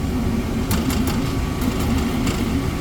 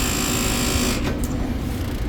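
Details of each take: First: Brand-new R290 refrigerator after replacing the vibrating condenser fan motor with an OEM motor: steady low even hum, nice and quiet, no rattle or vibration. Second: Brand-new refrigerator plugged in: loud, steady low buzzing rattle from the condenser fan motor vibrating out of balance.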